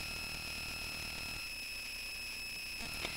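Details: Bare Conductive Touch Board audio output: steady high-pitched whine with buzzy overtones, unchanging; electrical noise that worsened after changing the input power source; owner suspects weak filtering, unconfirmed.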